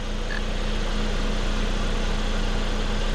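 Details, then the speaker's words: Saab 9-5 Copart rebuild, first start after new flex pipe, check valve and valve cover: smooth, even petrol idle with steady low hum, quiet exhaust, no misses, ticks or knocks; runs very smooth. "but uh there you go guys it sounds it sounds absolutely amazing very smooth"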